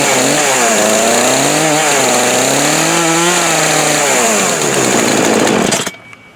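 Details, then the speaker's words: Craftsman 18-inch 42cc two-stroke chainsaw, bought new 2013-2014 and unused about five years, running on old fuel: revs and settles smoothly at high buzzing pitch, then cuts off; running normally. "no short video but anyway it still runs I can't believe it runs on that gas"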